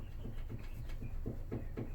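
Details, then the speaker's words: 2014 Subaru Forester XT front wheel rocked by hand at three and nine positions, owner reports instability in right-hand curves at 60-70 mph: soft rhythmic low clunks about four times a second; play traced to hidden front control arm bushing. "so as you can see here seems like there's a little bit of play as you can i don't know if you can hear it"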